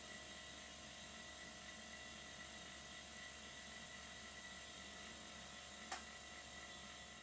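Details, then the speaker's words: Existing "whisper" silent workshop air compressor, used to supply air to miniature steam engines, tested with a new air fitting: very quiet steady high hum with faint whirring, no knocking or rattling; running smoothly. "i tested the fitting with my existing whisper compressor have a listen to how quiet it is"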